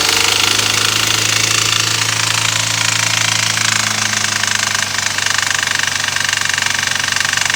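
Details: 2013 BMW F30 320i N20, 52k miles, warm engine revved to 2-3k rpm in park: harsh metallic fast clatter; also occurs at 20-30 mph off throttle, no check engine light; mechanics suggested lifters, unconfirmed.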